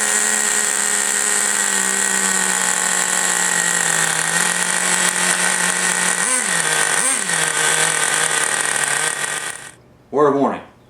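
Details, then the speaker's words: T-Maxx .15 nitro engine first fire after rebuild, cured by fitting a missing copper gasket and tightening a loose glow plug; screams at steady high pitch, dips twice, cuts out; runs normally, one-way starter bearing issue remains. "Well, it does run as a matter of fact. Excellent."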